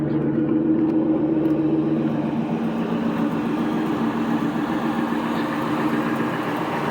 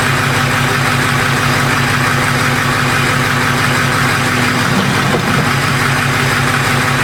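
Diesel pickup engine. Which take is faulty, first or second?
second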